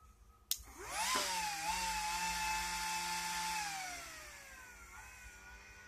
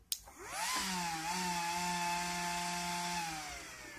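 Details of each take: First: Delta Electronics DPS-980CB A ex-IBM server switching power supply (76 A), modified with a trimpot to adjust output to about 13.2 V; a thin fan whine climbs, holds, then falls to a faint hum. The cause of the whine is suspected, not confirmed. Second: Delta DPS-980CB A (76 A) ex-IBM server PSU modified and adjusted to 13.2 V after protecting at 13.8 V: a click, then the fan whirs up to a steady, even hum and winds down; normal fan run.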